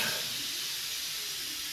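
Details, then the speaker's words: 2016 Nissan Juke 1.2 turbo petrol: the high-pressure fuel pipe is removed and a huge amount of stored pressure releases as a sharp, sustained hiss. Pressure kept dissipating with no injector leakage, so the high-pressure fuel pump was condemned. "a huge amount of pressure comes out from here. It doesn't fall any faster, but yet it continues to fall."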